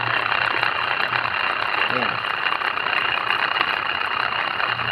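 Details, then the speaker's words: Stainless spin aerator, a market-bought unit welded by another welder, running out of water: harsh uneven buzzing rattle over low motor hum, strong vibration; shaft misalignment from poor welding. "Tingnan natin kung paano yung alignment na nangyari. Maingay siya, tapos yung vibration malakas."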